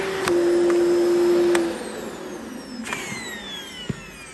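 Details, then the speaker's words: Well-used bagless cyclonic vacuum whose head no longer locks upright, with a dusty filter. The motor hum cuts down partway, with sharp irregular pops and crackles. The vacuum motor is popping and there is barely any suction; judged not worth repairing. "The suction might be fine, but can you hear the motor popping?"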